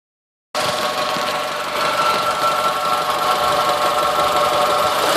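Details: 2002 Honda Civic EX: hard, rapid metallic knocking over a rough, even idle; rod knock, pointing to a worn connecting rod bearing.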